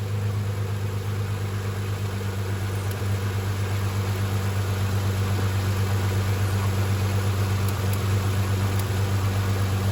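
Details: 2001 Isuzu Rodeo after an engine fire, idling: steady drone with a faint knock about twice a second plus a rattle somewhere in the muffler; owner thinks the knock sounds like a tensioner rather than rod knock, unconfirmed.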